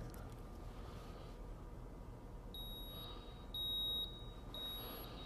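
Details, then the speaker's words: 1993 Ford Mustang GT, EEC-IV key-on engine-off self-test: three even high beeps about a second apart reading stored (not current) code 33, EGR valve not opening properly; code repeats; known EGR vacuum connection problem. "then it moves into the stored codes so these are codes that are stored that are not actually current and it gave me a 33 and you'll notice that it repeats"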